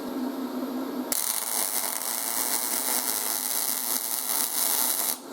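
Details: YesWelder 250 MIG Pro, hot start feature demonstrated: the arc strikes with a crisp crackle, then settles into an even frying hiss for about four seconds; a soft, stable start.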